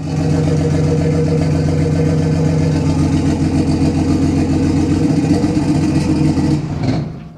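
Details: BMW E36 320i turbo drift car with 182,000 on the clock, just restarted after refuelling: a smooth, steady idle with an even beat before shutting off, described as running like clockwork; a healthy, normal idle.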